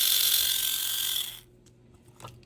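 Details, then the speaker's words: Viper V1 slot car chassis with a Lexan body, bought at auction, being tested. A high, rough gear whir buzzes for about 1.5 seconds, then cuts out. The pinion and axle gears sound unhappy and are suspected to be worn. "See, that's not, you can hear that. Those gears are not happy."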